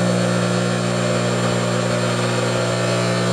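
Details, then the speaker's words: Table saw motor running with a newly machined pulley replacing one whose oversize bore made it wobble on the shaft: even, steady hum with only a faint buzz from the motor bracket; pulley runs true, normal running. "you can see dead on through that's just a motor bracket vibrating nothing big"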